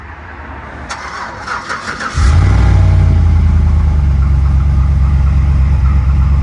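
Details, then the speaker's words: 2008 Silverado after stock exhaust manifolds, a new Y-pipe and catalytic converter, and a custom 3-inch exhaust with a chambered muffler replaced the universal shorty headers. On a cold start it cranks quickly and catches into a deep, even V8 rumble that settles smoothly, healthy. "we're going to do a little cold start on it right now and you guys tell me what you think I think it sounds pretty good"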